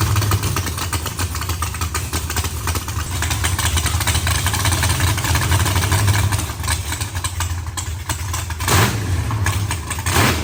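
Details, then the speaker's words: Freshly built carbureted V8 race car first start before dyno: loud, lumpy big-cam idle holding fairly steady with no misses or knocks; idles fairly decently but still needs idle tuning. "guys it has been a long few days but hearing that just made it all worth it we obviously have a little bit of work to do getting it idle good I got an idle and fairly decent but I still got to play with a little bit"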